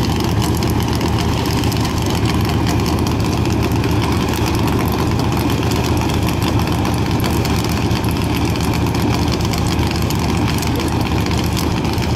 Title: CMEGO launch with misfiring